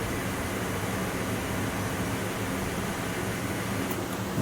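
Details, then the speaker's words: LS-swapped Miata fuel pump priming after adding a few gallons of fuel, following an earlier loud pump: a steady, even low hum for several seconds with no whine or rising pitch; normal priming. "i think it was because the fuel pump was getting kind of loud and that sounds a lot"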